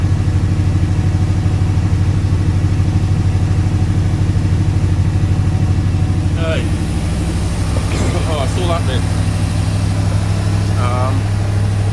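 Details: AK 427 Cobra replica, first start of its newly supplied engine in neutral on a cold day, with the fuel pump heard priming first. A deep, steady throb settles straight into an even idle with no misses or knocks. Normal idle.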